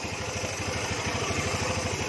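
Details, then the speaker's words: Honda Beat FI scooter with hard starting and rough noise, injector and spark plug replaced, pulley tested: even, steady idle pulses with no knock or rattle from drive side; now normal. "keadaan rumah roller suaranya udah normal Gan"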